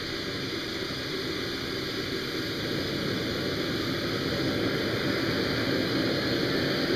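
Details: Old air-start AMT RC turbine engine, manually started with propane in near-freezing weather: steady rushing hiss with a thin high whistle, slowly building and staying even without surges or pops; runs normally.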